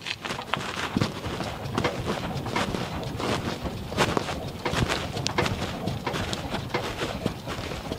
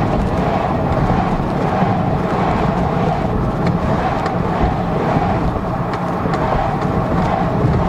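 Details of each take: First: 2002 GMC Envoy, engine off, body rocked: irregular hollow clunks from the rear with each rock; broken rear stabilizer (sway bar) link. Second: 2002 GMC Envoy test drive after repairing a rear clunking complaint, camera placed to hear the rear: steady road rumble and tyre noise, no clunks over bumps. No suspension clunk after the fix.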